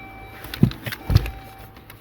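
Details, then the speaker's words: Tapping from a blend door actuator, the one just past the blower motor among three, under the dash of a 2013 Dodge Journey with the ignition on: a few soft, dull taps as the actuator slips. "there's the actuator right there right there that's the one making a noise"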